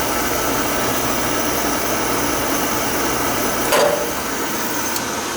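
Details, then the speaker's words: Oil furnace in a business that was not firing, after a new nozzle: steady, even burner roar with one brief click, no pulsing or rumble; fired up nice, normal burner operation. "Like, it smells black. She fired up nice. Yeah."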